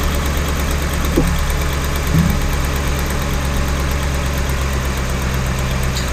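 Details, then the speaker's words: 2012 Ford Raptor 6.2 V8 idling after a broken right-rear exhaust manifold stud was repaired with a new manifold, gaskets and studs: a steady, deep low rumble with no ticking or puffing. The exhaust leak is fixed. "I was so happy that this actually stopped the exhaust leak and worked"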